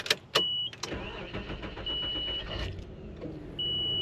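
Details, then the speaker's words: 1995 Nissan Pathfinder XE, 78k miles, starter replaced recently: clicks while cranking then a short thin whine as key released; always starts, owner suspects likely aftermarket starter disengaging noisily. "Kind of did it there. Coming off the starter when you let off of it. Let's try it again. It'll make that little noise."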